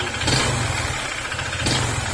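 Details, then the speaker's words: Honda ADV150 scooter at idle: rattly knock that swells on two brief throttle blips, rising with acceleration, diagnosed as connecting rod problem; engine block and fuel pump later replaced. "Sumasabay yung kanyang tunog sa pagit ng acceleration na may problema yan saal or yung connecting R"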